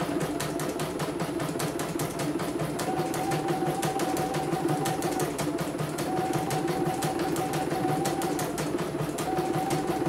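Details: CNY embroidery machine (M21 label) sent in fully jammed with heavy rotation; final test after repair, cover closed: even needle ticking about three per second, steady motor hum, no knocks, smooth, ready to ship.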